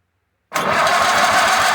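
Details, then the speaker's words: 1951 Case VAI tractor, test light on the coil side; starter cranks the engine in an even pulsing churn but it never fires; owner suspects fried points (filed, not yet replaced). "No fire. Well, I had it all down in there before. Maybe it's just maybe the points are fried."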